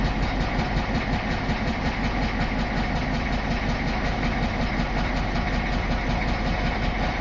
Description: Engine knock heard from inside my 86 F350 with 6.9 IDI Diesel.